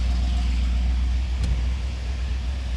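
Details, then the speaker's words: 1972 C3 Corvette V8 being fired up again during a rusty-frame rebuild: a deep, loud rumble holding steady with a slight dip, no knocks or misses. It sounds like a grain truck, with a loud open exhaust, but runs fine. "Sounds like a grain truck. Everything seems to be working pretty good."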